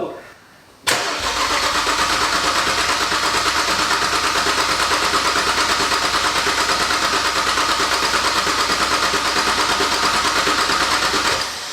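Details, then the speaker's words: BMW 135i N54 just fitted with upgraded turbos, coil packs disconnected to prime oil pressure before first start: steady, fast, even churning at about three beats a second that never catches. Engine cranked over without firing. "we disconnect all the coil packs to make sure we can crank the car over plenty of times to make sure it got oil pressure before it started for that first time"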